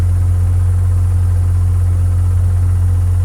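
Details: Warm Mazda 13B rotary with Racing Beat intake and FiTech EFI in an 80-year-old Willys Jeep, O2 sensor unplugged; smooth, steady low hum with even pulse, no surging or stumbling, normal warm idle.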